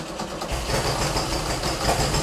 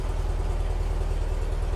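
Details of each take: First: Beck 550 Spyder replica, VW-type air-cooled flat-four with Dellorto carbs, just started after a jet cleaning and likely not yet warm: an uneven, lumpy, wandering idle; the right carburetor is thought to be well out of adjustment. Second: Porsche 356 air-cooled flat-four with dual carburetors, dead cold, held at a fast idle just under 1500 rpm: even, steady, smooth pulsing with no misses; the cold carburetor snaps at lower idle. Shown as a normal reference.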